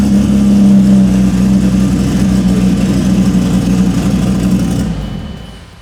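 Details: 2700+hp VL drag race car idling, timing stable at 32, throttle position fine: loud rough lumpy idle that surges and sags before settling lower as the idle control grabs and releases the revs; idle hunting.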